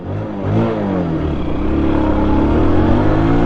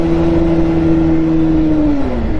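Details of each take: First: Bajaj Pulsar 150 BS6 at 51,326 km after clutch plate replacement with a cheaper duplicate plate from another bike; previously couldn't pull across the road: engine climbs smoothly and pulls cleanly, no slip; normal acceleration. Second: Bajaj Pulsar 150 BS6 with worn clutch plates, ridden in gear: the engine note climbs and holds high, then sags, with no harder pull, revs running away from road speed; clutch slip.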